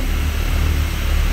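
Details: Brand-new Rotec R2800 radial engine on test run for a Kitfox, oil pressure and fuel pressure good, CHT sensor faulty: deep, smooth, even drone with steady low rumble and no misses or knocks; sounds healthy.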